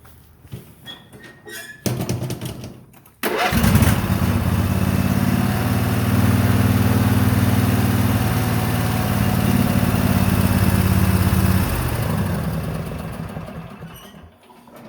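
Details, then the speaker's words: Murray Ultra wide body 20-46 riding tractor, low hours after sitting about 10 years in a shed: starts perfectly without choke, settling into a smooth even single-cylinder idle with no misses or knocks; some milky residue in the oil. "you hear it starts up perfectly no choke"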